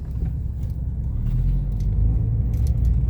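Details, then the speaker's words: 2003 Toyota Sienna on a road test after repairs: steady low road and engine rumble through a right turn with no squeal from the power steering belt, which previously squealed constantly when turning; belt now running quiet. "oh and I just made that right turn and no squealing from the power steering belt it was very uh consistent before as soon as you turn left or right it was just constant squealing"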